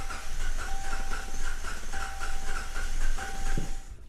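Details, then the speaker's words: Hemi V8 after a cam swap, running rough with codes: leakdown hiss with faint whistling on cylinder 1, coil packs removed, gauge reads zero. The cylinder won't hold pressure, likely from a pushrod slightly off holding the valve open. "So, and what generally usually happens is, and I'll I'll take off this valve cover so you guys can see, is the push rods look like they're in place, um, but they end up not being, you know, they end up being just a little off or something like that."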